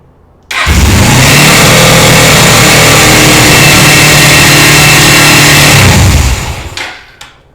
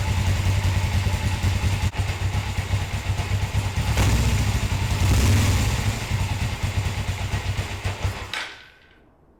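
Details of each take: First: Motorcycle after carburetor gasket replacement, fresh K&N-oiled air filter, choke off: loud, steady, very fast idle around four to five thousand rpm; tach not working; high idle caused by carburetor return spring not connected properly. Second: Motorcycle after rehooking the carburetor throttle return spring behind its lever, following carburetor gasket replacement: low, steady thumping idle about 160 pulses a minute for eight seconds, then shut off; high idle fixed, normal idle.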